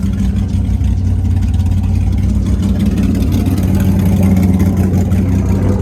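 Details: Nissan S15 running after finishing installs (oil cooler/relocator kit with gauge, exhaust not yet finished): steady low drone, even beat, no knocking or misfire as it settles; runs fine, though a rear main oil leak and hard starting appear afterward.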